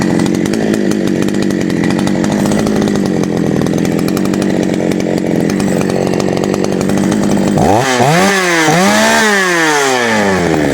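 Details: GOODLUCK 45M Chinese chainsaw, final test after a small repair with oil feed working: steady idle, then two clean rev-ups dropping back without stumbling or misfiring; normal running.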